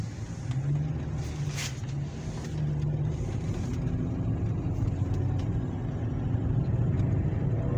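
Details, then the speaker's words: Hyundai ix35 with a steady low droning hum from the front while driving; hub bearings were suspected but the mechanic doubts it, and new wheel bearings are to be fitted to test. Source not yet identified. "слышали да вот короче такой звук звук не понятно от чего и надо этот звук каким-то образом идентифицировать"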